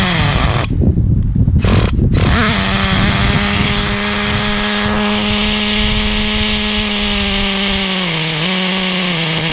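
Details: 2006 Traxxas Nitro 4-Tec 3.3, 17 years old, keeps dying; the owner suspects a carb issue and is leaning the low-speed needle in tiny steps. A screaming steady high pitch sags briefly; the mixture is still off and it won't hold idle.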